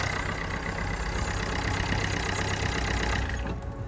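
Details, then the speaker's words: Corsa D 1.3 CDTI diesel, first start after fitting a replacement ECU, bleeding a new fuel filter and priming the lines. Steady, even idle clatter running on all four cylinders with no misses or fuel leaks, confirming the new ECU works. "fantastic so we can now see this engine is now running you can hear it so we know that ECU has been flown well and we also have the engine running on all four"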